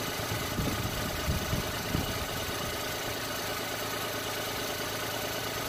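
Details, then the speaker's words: Every van engine at idle after work on the air-con compressor mounting, while chasing a horrible noise suspected from the AC compressor bearing, alternator bearing, crank pulley rubber or belts; smooth, even hum with no squeal or knock, called fixed. "that's whoa just drop the car I think that's done yeah I'm calling it it's fixed"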